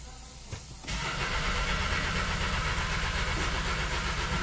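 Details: 2015/2016 VW Beetle 1.8 turbo, previously running, no relevant codes, fuel pressures adequate: steady rhythmic cranking about four beats per second, never firing; scope shows good cam and crank signals without dropouts.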